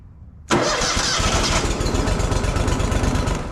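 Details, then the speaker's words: Grasshopper mower: engine catches at once and settles into a steady even idle with no misses or knocks; normal start. "Okay, so it started. You know what? Let's start it and let it run."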